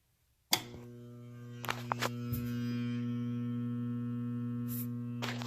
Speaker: on today's video we'll be working on a jammed garbage disposal when the garbage disposal is jammed you'll know because when you turn it on you'll hear the motor actually locking up